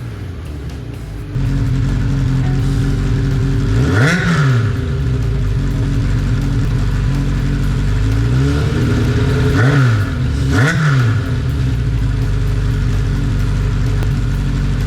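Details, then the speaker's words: Steady low idle with a few quick throttle blips from a cafe racer motorcycle, first start after carburetor cleaning. Running rich with mixture screws 2.5 turns out and smoking at first, but firing evenly with no knocks or clatter; sounds healthy. "now that i can hear engine is not making any strange noises and it's idling better than my 1200 bandit"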